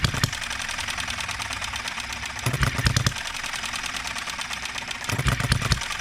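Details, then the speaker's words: Enjomor 6cc hit-and-miss model engine on a cart during governor, ignition and valve-timing tuning, with the fuel tank lowered and carb turned: short bursts of firing pops about every 2.5 s. It runs but stutters at times. "not quite there yet guys that wants to stutter sometimes don't it"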